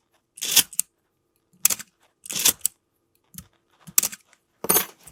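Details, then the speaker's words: Canon A-1 camera after lubricating the mirror-box gears to cure a squeaky "coughing" shutter: six crisp, clean shutter snaps about a second apart, with no drag or squeak. The shutter sounds healthy and seems accurate. "Right. I like that. It's not that bad. Feel like the shutter is pretty accurate."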